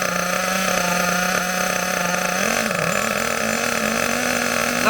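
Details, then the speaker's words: HPI K4.6 nitro engine in a Savage 21 monster truck, warming up, mixture set extremely rich: high nasal buzz holds flat, sags and barely climbs at full throttle; over-rich bogging, should speed up as it warms. "you will notice as it warms up you will notice it will get faster even though it's extremely rich as yours will be"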